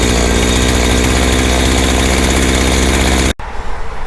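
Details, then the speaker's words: Small two-stroke engine after fuel line was rerouted through the filter and air filter refitted, started with switch on, primed and choked: steady high-rev buzz with no sputter or surging, then cuts off; runs properly, to be retested after full cool-down. "okay well I think it's working so what I'm going to do is I'm going to hold on to this until tomorrow"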